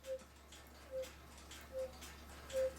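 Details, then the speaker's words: Swiss-style German cuckoo clock whistle box with bellows: only a faint short toot about every 0.8 seconds. Suspects a leak, glue in the box hole, or the board not sealing. Unconfirmed; weak whistle. "and also this back whistle box that also makes the bird move up and down we hardly have any sound you do it slow enough you can hear"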